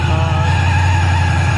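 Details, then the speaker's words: Mustang with a supercharged LSA V8, out in the sun for the first time in 8 months, warm idle with coolant at 191°F and timing good; oil gauge misreads but oil pressure is audible. A deep, even burble with a faint blower whine and no ticks; healthy idle. "Coolant temp 191, has been idling for a little while. Timing looks good."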